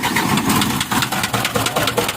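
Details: Isuzu 4HL1 diesel settling into a rough idle with a sharp, uneven knock on every firing cycle, indicating heavy internal knock; piston damage suspected, not confirmed.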